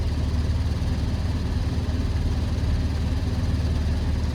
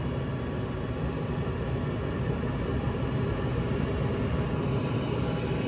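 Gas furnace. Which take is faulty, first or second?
first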